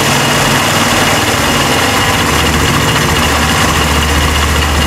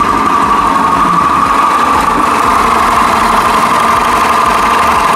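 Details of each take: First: Italika WS-150 single after replacing crankshaft and its bearings: steady even idle throughout, no knock or rattle; still blowing white smoke, cylinder kit to be replaced. Normal idle. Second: Italika WS-150 motorcycle brought in not starting; now starts but runs with a harsh, rattly drone and rough mid-pitched hum. Crankshaft main bearing noise.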